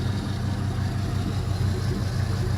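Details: LM7 5.3L iron-block V8 from 2001 Silverado, 862 heads, 151k miles, warming up: deep even ~700 rpm idle with steady low rumble, no knocks, misses or ticks, no leaks; normal idle.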